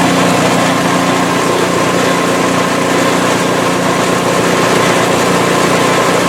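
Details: PowerSmart 24" snowblower small engine, ninth season, about 50°F outside, after sidewalk test, fuel shut off to run carburetor dry; steady, even drone with no misses, surges or knocks; healthy running.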